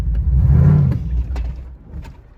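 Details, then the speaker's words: 2006 Toyota Tacoma 4x4 with swapped, highly modified 6.0 LQ4 V8 and aftermarket performance cam, in gear: a throttle blip swells, then revs sag and die instead of settling to idle, stalling on deceleration despite a new AC Delco idle air control valve. "Still running, but seems to have a problem stalling during deceleration. So I'm just gonna kind of accelerate and let off the gas,"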